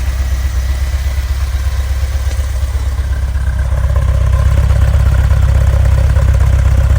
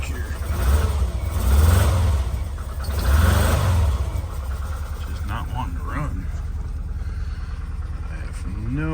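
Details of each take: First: Volkswagen Vanagon stock 2.1L water-cooled boxer, warmed up: low even idle, steady beat, no misses or knocks; runs smoothly warm though rough when cold and cuts out intermittently. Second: VW Vanagon with the stock 2.1L engine, cold start in icy weather, rear engine: it idles roughly with uneven surging, knocks and bangs, near stalling. It runs okay once warm; cause unknown.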